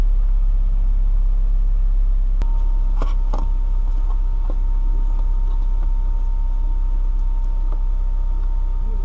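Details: 2007 Honda Fit that wouldn't start, after replacing the fuel pump module and reconnecting the battery: steady, low, even idle rumble holding constant, only light clicks from nearby handling. Engine idles normally.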